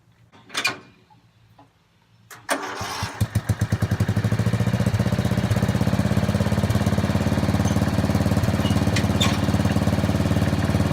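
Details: Old Murray riding mower with what looks like a 12 hp Briggs & Stratton engine, mowing in 30–33 degree heat: a steady, even single-cylinder beat under cutting load with no misses or knocks; healthy, ready to rock.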